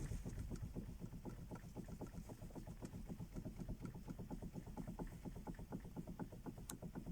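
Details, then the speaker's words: Toyota Camry 40, about 220,000 km original: light sharp clicks about four a second as steering wheel is worked, engine silent; worn splines in steering intermediate shaft (cardan), not the steering rack. "именно шлицевое соединение там получается износ примерно ну где-то к 200 тысяч а может быть и выше"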